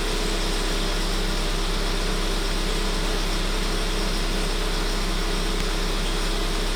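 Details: 1.4 TSI 160 engine: steady drone with a fast, fairly even rattle near three per second, pointing to a worn, noisy timing chain.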